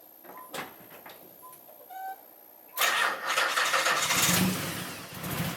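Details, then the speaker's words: 1991 Nissan 300ZX V6 with an ignition misfire, during harness/PTU diagnosis: chimes, then the engine starts and runs rough and stumbling, worse than before. "well as you guys can tell the car is uh running even worse than before"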